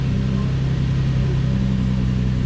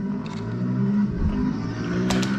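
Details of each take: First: Infiniti G35 cold start after spark plug replacement: a steady deep hum with even firing steps down slightly midway, a loud high first-start idle with no misfire heard; misfire data being checked, normal cold-start high idle. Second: Infiniti G35 V6 idling with an uneven, stumbling, sputtering beat that surges and dips. Misfire suspected, being diagnosed with spark plug replacement and an injector balance test.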